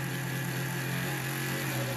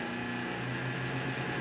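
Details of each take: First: Intel Foxconn CPU fan overvolted on a bench DC supply, about 15 volts, above its nominal 12 V: loud steady airy rush with a higher-pitched hum; the fan overspeeds and later dead-shorts near 20–25 V. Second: Intel Foxconn CPU fan on a 1975 bench DC supply near its nominal 12 volts: steady airy whoosh with faint motor hum, running normally.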